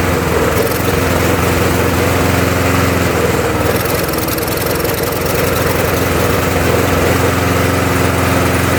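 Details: Murray mower, Tecumseh engine swapped for a Briggs (stated as "brace"), on a swapped-in second carburetor after the first was cleaned four times including ultrasonic: single-cylinder runs loud and uneven, speed surging and dropping over seconds; rough, cause not found.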